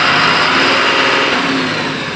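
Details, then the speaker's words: Eicher Pro 6048 BS6 truck after accelerator pedal replacement clearing code B150C (accelerator not working): picks up cleanly on light throttle to 2500 rpm, smooth even note, eases back; normal revving after repair. "हल्का सा accelerator छूने पे पूरा काम कर रहा है। देख रहे हो 2500 आरपीएम।"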